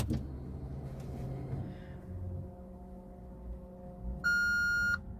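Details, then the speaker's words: Maserati GranTurismo, ignition on while testing a newly installed touch-screen AC controller; quiet cabin hum then a clear steady beep under a second, a dash warning chime, likely from airbag work leaving warnings lit; cause not pinned down. "going to hear beeps and stuff in the background because I've been playing around with the airbag and stuff like that. So the dashboard's a bit like a Christmas tree at the moment."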